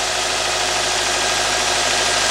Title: ⭐ 2013 Nissan Sentra - 1.8 - Runs Rough - P0301 - Cylinder 1 Misfire